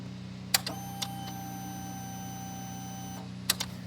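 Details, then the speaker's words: 2021 BMW G310R that cut out at 82 mph in sixth gear and then cranked without starting, with the engine light flashing: click at key-on, about 2.5 s of steady electric hum, then a click off; fuel pump primes normally. "okay fuel pump sounds good let's pull codes"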